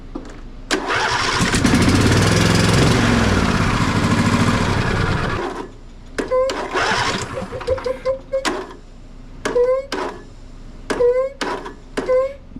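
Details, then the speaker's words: John Deere D130 riding mower: after a brief run, repeated starter bursts whirr and stop dead on compression; dealer blamed the low-speed compression release, mechanic suspects excessive valve lash instead. "getting some catching so it just started as you saw quite a few times turned over quite a few times but now as I'm trying to turn it it's getting hung up just every now and again"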